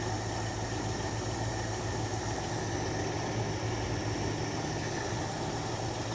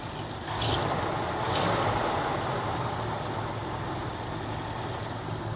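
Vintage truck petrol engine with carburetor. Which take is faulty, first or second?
second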